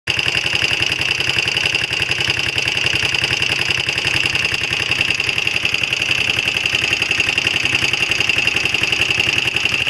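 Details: Honda XL125R single-cylinder engine at idle: a quick, uneven ticking clatter with a steady high ringing over it; abnormal engine noise, cause unclear.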